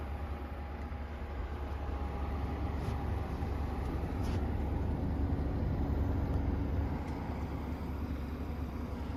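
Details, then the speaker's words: Brand-new 2025 Midea U 6,000 BTU inverter window air conditioner, just installed, compressor ramped to full capacity, fan on high, heard from inside: steady low hum with even fan rush, no rattles or knocks; normal running. "You can hear a very slight hum within the compressor, but turn the fan speed to auto."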